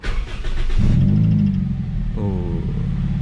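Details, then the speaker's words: Toyota Vios Limo ex-taxi after new battery fitted and clamped tight to cure heavy starter. Brief brisk crank, engine fires at once and settles into even idle: starter now spins light and easy. "banget ya teman-teman enak jadinya nah mesin sudah nyala dan starternya sudah enak sudah enteng tidak berat lagi"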